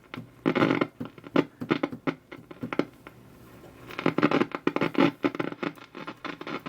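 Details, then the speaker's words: Unusual radio set powered through an isolation variac, drawing about 180 mA; irregular crackles and sharp pops in short bursts, no stations received: crackling and popping. "no stations just the crackling and the popping"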